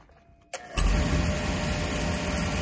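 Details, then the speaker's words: Beckett oil burner after replacing the primary control, which had been clicking the flame on and off: lights off with a soft thump, then a steady even roar with no cycling. "that's what it should be doing contactor is not going in and out in and out so we're done"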